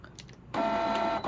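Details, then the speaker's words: Canon Pixma G2010 printer showing error E03 on power-up: steady motor whir and faint whine, then stalls and restarts briefly; E03 is a paper-path error, usually debris such as a pen cap stuck at the paper sensor or feed route. "तो देख बार इसमें जो error आ रहा है 03 ठीक है तो यह जो एरर है यह एरर अधिकतर जो है क्यों आता है तो यह जो एरर है यह पेपर तरफ का एरर है"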